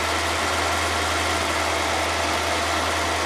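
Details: Mercedes-AMG GT63 S with sensor rotor adaptation and bank two fault codes, started before rescanning codes: steady, even idle with a smooth low drone and no ticks, misses or hunting; normal idle.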